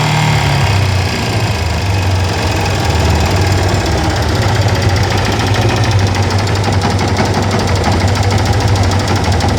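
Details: Yamaha FZ16 Fazer motorcycle idling: heavy low thumping with a rattly, hammering clatter through it; owner reports unusual engine noise, cause unknown.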